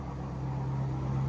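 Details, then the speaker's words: Drift car engine on solid mounts at idle after a misfire fix: steady, even low hum with no stumble or skip; sounds alright and smoother, though shaking a bit and oil pressure reads high. "yeah it sounds alright"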